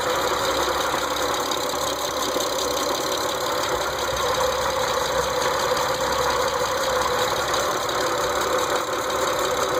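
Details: 2006 Mitsubishi Eclipse GT at steady petrol idle with a light, regular tick running throughout, unchanged over ten seconds; source unknown, owner trying to find it.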